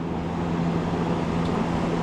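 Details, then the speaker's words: PTAC air conditioner that wasn't cooling: a steady condenser fan whir with a low electrical hum, but the compressor never kicks in; capacitor to be checked next. "The compressor is not running. All right. So, I never heard compressor."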